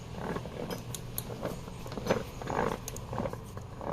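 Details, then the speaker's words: HF2A transfer case after reassembly, in four-wheel drive high or low: rough uneven metallic grinding and ratcheting clatter from an internal failure; metal particles seen in the oil. "figured out what the problem is transfer case is out it's in i don't know four or higher for low doesn't matter"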